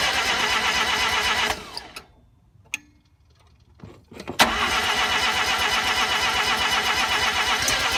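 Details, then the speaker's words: RX-7 first start attempt after swapping a 12A rotary in for the 13B: even starter cranking, a pause, then more cranking, and it never catches. The ignition timing was way off; the owner first suspected no spark. "so last night was a little bit of a failure for starting in the car it turns out that my timing was way off and I thought that I was just getting no spark"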